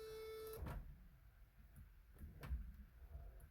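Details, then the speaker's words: 1983 Mercedes 380SEC (W126) power sunroof after clutch adjustment, engine off on a low battery: short steady motor whir, then a clunk and soft knocks as the roof moves; sunroof works, just slow from weak battery. "yeah that definitely works the battery is just really low that's a great sign"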